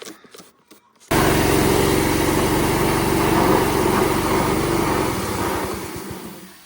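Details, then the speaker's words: Small pressure washer engine fires up, then runs with an uneven, stumbling beat and sags off toward the end. Rough running. "Oh. Pressure washer isn't too happy today. Wow, that's bad."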